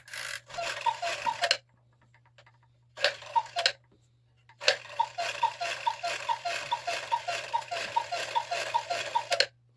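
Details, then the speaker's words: 1950s Gebr Kuner cuckoo clock, modified Regula 1 movement, after overhaul: bursts of quick light regular ticks while the couple figure spins; figure has clearance, owner suspects bottom gear hitting frame, unconfirmed; no pivot wear, damaged reglued figure possibly contributing. "Unless it's that bottom gear hitting that frame. That's the only thing I could picture."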